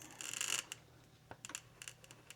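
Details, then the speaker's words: ARRMA Mojave 4S with upgrades and a 70 mm wheel adapter, wheel spun by hand: light scraping ticks and a plastic rasp as the rim, about 3 mm too far in, drags over the bolts. "You hear that? That's the plastic stretching over those bolts cuz it's also touching on the top."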